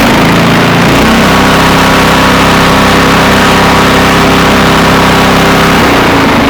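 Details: Cub Cadet 482 garden tractor with a replacement 11 hp Briggs & Stratton single-cylinder engine, original having failed, said to run fine; catches after a second and settles into a steady, even chug with no misses or knocks: normal running.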